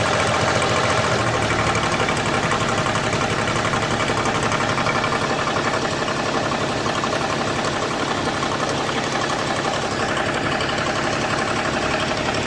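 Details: BMW E61 525d diesel at idle with a fast, fairly even tick, about three per second. The source of the noise is unidentified.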